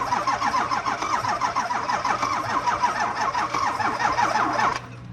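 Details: 2004 Ford 6.0 Powerstroke no-start with a charger connected: labored, rhythmic cranking for about five seconds without firing, the starter turning sluggishly from weak, low batteries.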